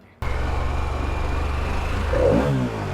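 Smooth, even engine note that swells briefly as the throttle blips and then settles, no rattles or misfires; it sounds healthy.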